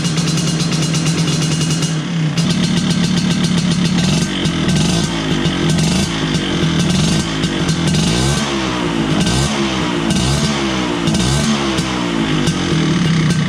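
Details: 1983 Vespa PX125E two-stroke, first start after total restoration with an overhauled engine: new crankshaft, 177cc cylinder kit, bearings and clutch discs. Crisp buzz revving up and dropping back, pulling cleanly with no knocks or rattles.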